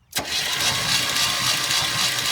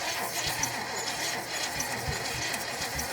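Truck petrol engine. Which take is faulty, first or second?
second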